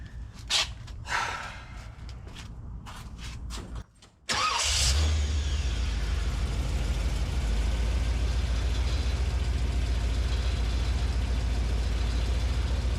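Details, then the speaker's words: 1981 Corvette started after its power steering power valve was rebuilt and reinstalled: cranks, catches and settles into a fast idle with a faint puffing tick over the rumble, an audible exhaust leak. "all right we definitely have an exhaust leak I can hear that"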